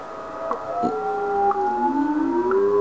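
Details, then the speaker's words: Yaesu FT-101ZD transceiver in TUNE mode tuning WWV at 10 MHz: steady tone slides down and back up as the dial passes the station, a heterodyne growl when off frequency, vanishing at zero beat. "then what we're going to do is tune either side of the station and you'll hear a growl"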